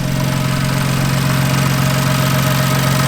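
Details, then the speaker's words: BMW M4 with an intermittent misfire, after replacing the spark plugs and then the coil packs: a steady, even idle with a smooth low hum and no stumbles; not misfiring now, though the fix is uncertain because the fault comes and goes. "Not misfiring, but again, like I said, this is hit or miss, so I really do not know if this is going to fix it."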